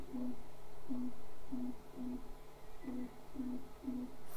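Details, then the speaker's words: MINGDA Rock 3 Pro 3D printer jogging its axes in 10 mm moves from the menu. Short soft humming bursts about every two-thirds of a second over a quiet room: normal, quiet stepper motor noise. "now I will do it from 10 mm also in this case guys silent"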